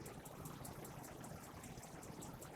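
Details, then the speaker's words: RV propane water heater in gas mode: igniter ticks quickly about five times a second, trying to light three times without ignition, then pausing before another sequence; propane tanks recently filled. "And it's trying to light. So as you noticed, it tried to light 3 times. It's going to try it again."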